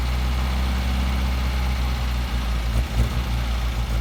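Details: 1971 MGB being resurrected, just dragged out of the garage before carb tuning: low uneven idle with occasional stumbles and lurches, no steady rhythm; misfiring at idle, cause not yet found.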